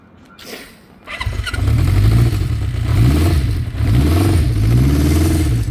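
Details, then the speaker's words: 1972 Honda CB500K1 four, about 14,720 miles, recent head gasket and valve adjustment, new shifter and clutch push rod seals: catches quickly, then a smooth even burble rising and falling cleanly with throttle blips; healthy start and rev. "Runs excellent. Had a recent head gasket done. Valves adjusted."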